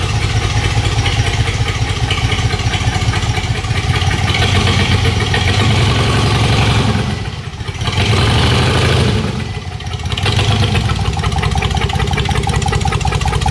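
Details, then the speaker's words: Dodge Magnum 3.5L V6 stroker with big aggressive cams, ported heads and intake at first fire: loud, uneven choppy loping idle with brief speed dips; normal cam sound, owner thinks the computer is still learning the cams and fuel trims. "thank you it definitely sounds like that she's got a big fat nasty camera i mean it does somebody's starting to run better"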